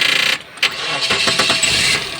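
A short crank, then the engine catches at once and settles into an even idle; the start sounds normal.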